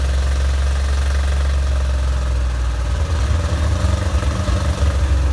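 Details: 1987 Corvette engine, flooded then cylinders blown out and plugs refitted, deep uneven rumble that stumbles and surges halfway, barely holding on; dies off throttle and floods again, fuel in oil; owner suspects flooding past rings.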